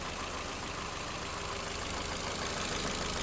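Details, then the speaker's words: 2009 Ford Fiesta automatic, ex-salvage, fluid levels good, no leaks: steady, even, smooth idle with no knocks or misses; engine sounds healthy. "so really nice one's really really nice smooth everything everything's great"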